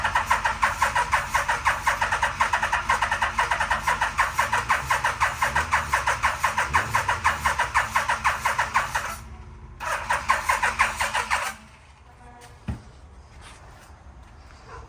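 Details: 1987 Yamaha Venture Royale 1300cc motorcycle, long-stored barn find, carbs just reinstalled: regular starter churning about two beats a second for nine seconds with no firing; crank, no start because the fuel pump is unplugged, no fuel delivery.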